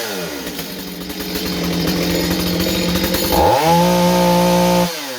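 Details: Stihl 025 chainsaw under warranty check for sporadic running (possible air leak), started by pull cord and warmed a few seconds: runs on, then revs cleanly to a steady high note, holds and shuts off; running fine at this moment.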